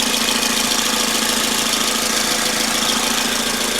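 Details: 2006 Toyota Corolla 16-valve petrol idling with a steady, fairly regular light ticking, about three to four ticks a second; sound changes with throttle; owner suspects belt (recently replaced), intake manifold or exhaust; not confirmed.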